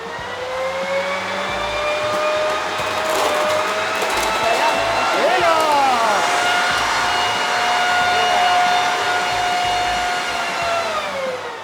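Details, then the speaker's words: Street-salvaged, like-new blower-vacuum sucking up leaves: steady high motor whine dips briefly as leaves go in, then recovers to an even tone; fully functional. Normal running. "Si c'est pas beau ça. Moi, il n'y avait pas de problème."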